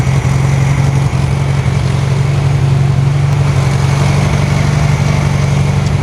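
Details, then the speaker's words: 1968 VW Karmann Ghia, newly installed 1600cc engine (replacing one with spun main bearing), during cam break-in and thermal cycles: low even idle with steady exhaust thrum, no squeaks or rattles; runs smooth and healthy. "anti-climactic but she kicks off and she runs no weird squeaks no weird rattles"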